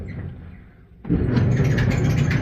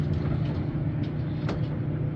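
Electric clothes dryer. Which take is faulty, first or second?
first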